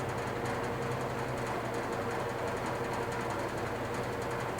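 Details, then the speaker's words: GE box fan (W-series) running on low: steady hum with fast buzzy rattle under the airflow; otherwise runs well. "Start it up on low. As you can hear it, rattles a little bit."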